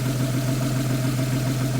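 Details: Porsche 911 idling after a new belt tensioner and serpentine belt were fitted: a smooth, even idle with a steady low hum and no squeal, chirp or rattle from the pulleys. The belt drive sounds healthy, a normal idle.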